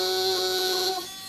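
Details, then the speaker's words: 40 A relay wired as a tickler, chattering on and off through its own normally closed contact with a blue arc: a steady high-pitched electrical buzz that gets louder when pressed onto the desk and softens near the end. "so what i'll do now is i'll turn it on and immediately you hear the relay start buzzing now if i push the relay onto the desk it gets a little bit louder"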